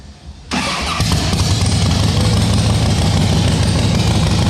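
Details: Rebuilt 2010 Harley Softail Standard, S&S engine, after shaving about 1 mm of aluminium: catches quickly into a loud, steady, lumpy V-twin idle with even beat; starts and runs fine.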